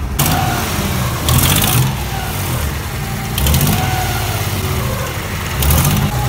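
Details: Nissan Z31 300ZX engine after teardown and retightening of loose intake manifold bolts; catches and settles into a steady low rumble with brief rev blips, running evenly with no knocks or misses.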